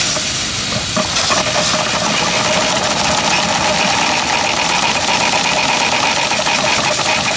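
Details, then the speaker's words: 7-1/2 gauge Clishay live steam logging locomotive (wood or coal fired), first run in a year, in gear with a little throttle and cylinder drain cocks open: loud, steady hissing with faint pulsing as the engine turns. Normal running. "It's the first time it's been running in a year. I'll close the petcocks on it here. It'll run a lot smoother."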